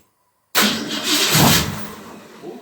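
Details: 1990 Saxon Classic Roadster kit car, Ford 302 V8, first start after plugs back in, wires on, new fuel pump and splash of gas in carb: burst of cranking with brief rough catch that fades, won't keep running; possibly no fuel in carb yet.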